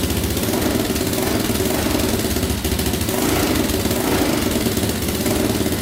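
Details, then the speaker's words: 2004 Yamaha Raptor 660 quad, choke pulled manually, before carb cleaning: steady, even idle with a smooth low beat, no misses or knocks; owner thinks compression sounds fine and suspects no air leaks. "but it sounds pretty good. Idles perfectly as well, so I don't think there's any air leaks in the system at all."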